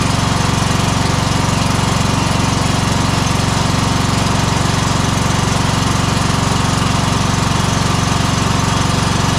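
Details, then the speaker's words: Exmark 52" Pioneer S zero-turn (PNS720KC523), Kohler KT720 running rough, low power, popping, bogging under blade load: loud uneven chugging about four beats a second; weak, nearly constant spark traced to failing ignition coil. "so I do think this is still the same issue that I'm thinking it is we're having an issue with the ignition coil"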